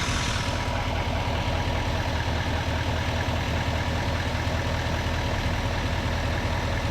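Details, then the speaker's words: Duramax L5P diesel after a harmonic balancer replacement (a small vibration earlier was blamed on the old balancer): steady, even idle with a smooth low rumble and no shake; idling much better. "Feel how it's spinning nice and free. That's how it should be. The thing is idling much better."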